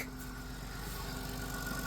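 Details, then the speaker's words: 2000 Chrysler Grand Voyager SE, 114,000 miles, just started after 8 years parked, accessory belt cut off so nothing driven: quiet steady low hum with no ticking or tapping; normal idle. "And it's so quiet. It's so quiet because nothing's spinning. It just fired right up. You You poor thing. Listen. It doesn't even tick."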